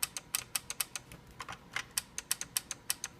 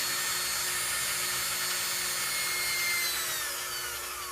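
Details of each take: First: KitchenAid seven-speed mixer that quit working: repeated sharp dry relay clicks about every quarter second at power-on, and the motor never starts. Cause was a failed power-supply capacitor on the board. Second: KitchenAid seven-speed mixer after replacing a capacitor: a clean, high motor whine holds steady, then winds down smoothly when switched off. Normal motor run.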